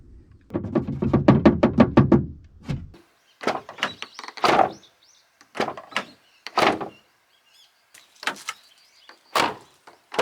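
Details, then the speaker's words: Abarth 500/595 door closes with a solid thunk, then short loose clattering ticks; a detached damper inside the door rattles after closing. "However, the sound of closing the door is good, but there is a rattling sound after closing."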